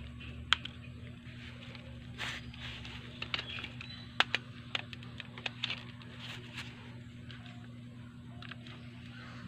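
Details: Angle grinder, repaired after failing to run because of a broken magnet wire inside (carbon brushes were fine): after quiet handling noises it starts and runs at a loud, high, steady whine for about six seconds.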